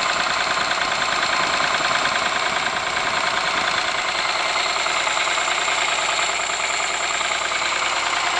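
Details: Ford Sierra engine at steady idle with a sharp, regular knock a little over two per second above the hiss and clatter; cause not pinned down.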